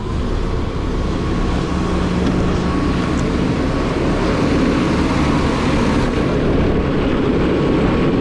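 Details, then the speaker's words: Truck diesel with Eaton UltraShift, building air during clutch reset: steady rumble with rough chattering from the air compressor pumping, stops when compressor cuts out; compressor bearing checked fine; air compressor noise while building air. "Noise you hear there is that air compressor. As soon as that compressor cuts out, it'll quit making that noise."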